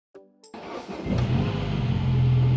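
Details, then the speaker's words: 2013 MINI Countryman after new spark plugs and coil packs to fix a misfire (bad coil pack or plug suspected): quick crank, fires cleanly, settles to smooth steady idle with no miss or shake; check engine light still on from before; normal start and idle. "oh check engine light is on but that's on from before but it is running smoothly so i think that was the issue"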